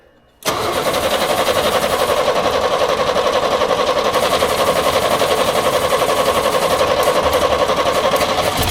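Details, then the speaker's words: 1938 International pickup, budget-build project, starting after earlier failed attempts (owner guesses he flooded it with too much fuel): engine catches at once and settles into a steady, quiet, even idle with no misfire or knock; runs fine. "okay well it runs it's quiet I don't know what's going on"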